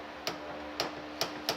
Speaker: that feels like a lot of torque I don't know it definitely feels like a lot of torque boy there it goes